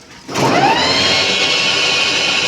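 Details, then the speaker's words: Delta Star e-rickshaw after repair, driven: electric drive whines up smoothly to a steady tone, the earlier khat-khat knocking gone after replacing the pinion gear with two broken teeth. "कोई भी आवाज नहीं है। कोई भी sound नहीं है। Cut cut का जो साउंड था वो खत्म हो गया है।"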